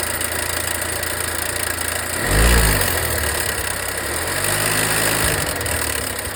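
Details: Volvo V60 B4 mild hybrid after wastegate rod replacement: idle with a loose, uneven rattle, a few bursts a second, from inside the turbo; turbo replaced under warranty, which cured the noise.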